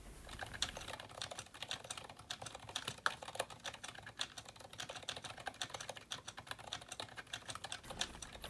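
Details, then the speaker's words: GK61 kit keyboard with its stock cheap stabilizers, Zilent V2 62g switches, PBT keycaps and thinner PBT spacebar: quick bright clicks with louder hollow clacks from backspace, enter and spacebar; stabilizers rattling and clacking, sounds really bad. "as we're going over there's a bit of a typing sample you can hear the cheap Chinese stabilizers clicking and clacking away as I hit back spaces and enters and space bars and typing it sounds really bad"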